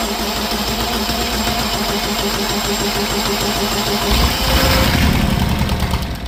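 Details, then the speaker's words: Universal M25XP marine diesel from a Catalina 36, an untested scrapyard engine never seen running, cranking on a stand. Slow, lumpy cranking with weak, uneven firing that never catches. Cylinders 1 and 2 get no fuel; injection pump issue. "Number 1 and 2 aren't getting anything. Yeah. There's an issue with the pump."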